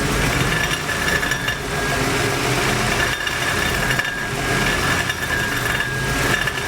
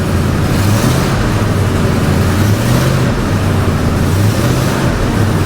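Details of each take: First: Ford F250 5.4 3-valve, on lift, idling with microphone underneath: tinny ringing rattle pulsing about once a second at low RPM, owner thought transmission. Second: Ford F250 5.4 3-valve, microphone underneath after repair, light throttle: steady low hum rising gently with no rattle or knock; former low-RPM ringing rattle gone, no check engine light, not transmission; normal rev.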